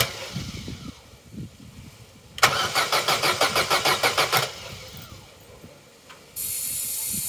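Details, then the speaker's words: Corsa B sat 4-5 years, new battery at 12.1 V: about two seconds of steady, even starter cranking with no firing; spark confirmed good as it ran on fuel through intake, so crank no start from fuel delivery fault. "right that may not seem like much to some but that is significant we know the engine can run and we know the fault lies in the fueling"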